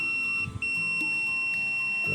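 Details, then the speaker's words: KOI power station that works on 12 V but beeps with no 220 V output: steady high multimeter continuity tone across the probed transistor, showing the MOSFET shorted, the main fault. "So yun guys ah ating nakita yung sira niya no. Pinakasira niya ay itong transistor na 'to."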